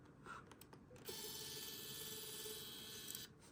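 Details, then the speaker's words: Canon camera lens zooming out fully: fast, uneven mechanical ratcheting buzz for about two seconds; lens zoom motors suspected worn out. "let me just zoom it out all the way I think the motors in the lens are shot"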